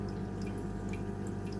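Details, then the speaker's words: Aquarium sump leaking through a gap in its seam, before the Flex Tape repair: light irregular drips and a trickle over a steady low pump hum. "Yani şu ses, su sesi çıkıyor buradan. Bu rahatsız edici gerçekten."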